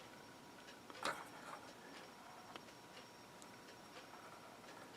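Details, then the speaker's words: RCA RT2500 receiver after replacing the four bridge rectifier diodes, with 13.8 V standby restored. One sharp relay click at switch-on, then a faint hum: it powers up normally, confirming a faulty startup circuit was the problem. "looks like she started up. I hear the relay clicking."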